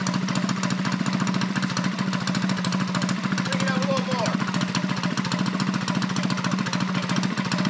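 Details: Custom Motovox minibike's 196 box-stock single-cylinder engine, freshly fitted with new flat-top piston and rings and 22mm Mikuni-style carb, just started off choke in a 40°F shop with idle turned up; pops evenly at fast idle with light throttle blips, no misfires.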